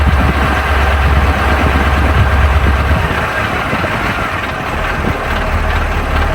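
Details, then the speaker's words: KamAZ fire truck diesel idling as air pressure builds after replacing two air brake chambers: steady engine with a faint constant hiss from an air leak at an air pipe left untightened; tightening it stopped the leak. "So, it seems that both of the air brake chambers are working, but you could hear earlier that there was an air leak. Well, I forgot to tighten one of the air pipes."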